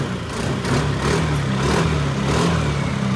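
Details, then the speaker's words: Yamaha NMAX V2 scooter with check engine light from a suspected wiring or ECU fault, now running after repair: steady, even low putter idle with no knocks or misses, exhaust smoking, apparently from excess fuel; normal idle. "Yun o. Boss! It's alive now!"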